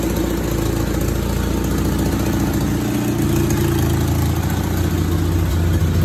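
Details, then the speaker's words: 1962 MG Midget MK1 that has sat for who knows how long (previous owner had it since about 2006), running after the stuck throttle linkage was freed: a low, even idle rumble with no knocks, misses or hunting. Runs smooth and healthy. "The engine does run amazing, actually. It's been sitting for who knows how long."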